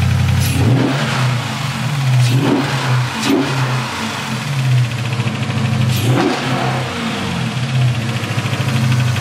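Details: Dodge Charger SRT8 392 V8 cold start after radiator and fan replacement: strong steady idle with several sharp clean rev blips, no knocks or rattles; healthy engine.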